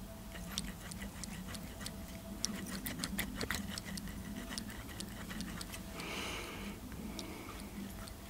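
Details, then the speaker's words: Nova B3 nitro RC engine, cold, turned by hand with piston and sleeve stuck in place: irregular dry clicks and gritty ticking from a rough crankshaft bearing, suspected, not confirmed. "that bearon feels terrible yeah listen to this bearing really"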